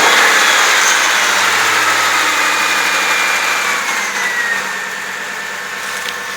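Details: 2001 Ford F-150 4x4, 4.6L, just after starter motor replacement and battery reconnection: engine catches and settles into a steady, even idle, faint whine easing off; healthy start and idle.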